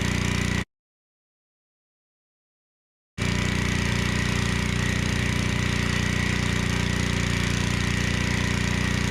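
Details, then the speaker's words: Generac 01292-2 pressure washer after carburetor replacement, pump bearing replacement and new oil: even steady small-engine drone holding constant speed under pump load, smooth and unbroken; healthy. "All right, so verdict is this thing is actually a pretty good power washer."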